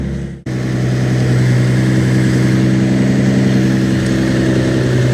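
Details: Normal idle of a Datsun 280Z during a turbo install, with fresh fluids, new oil and a replaced oil pan, oil drain pending, checking for leaks: even, steady idle with constant hum, no knocks or misses; oil pressure confirmed.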